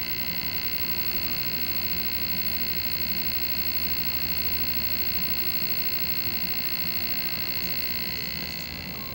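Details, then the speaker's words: Vintage Sears/Toshiba tube TV after a vertical deflection repair, with the 6GH8 tube replaced: a steady, loud buzz with a hard high edge and an even fast pulse. The vertical stage is running normally. "Remember I said at the beginning of this video you should be able to hear the vertical running? Listen to this."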